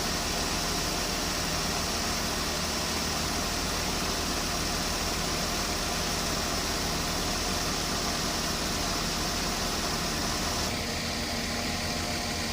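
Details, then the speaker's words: Mercedes-Benz S280 at idle after A/C repair: leaking refrigerant line remade, compressor oil added, new drier, fixing earlier noisy compressor and poor cooling. Steady fan hiss, no compressor knock or whine; normal quiet A/C compressor operation. "ม.คมีเสียงการทำงานปกติทุกอย่างนะครับ"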